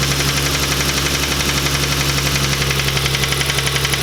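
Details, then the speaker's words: Lexus IS300 engine started after refilling with 10W-40 oil: sharp, regular deep metallic knock about four per second over the idle; owner suspects rod knock, unconfirmed. "That's most likely a rod knock noise. I gotta move this thing out of here to move the 240, so I'll rev it up just a little bit next time I turn it on, and we'll see if the noise gets faster, but it'll rule out that it's not just hitting on something rattling weird."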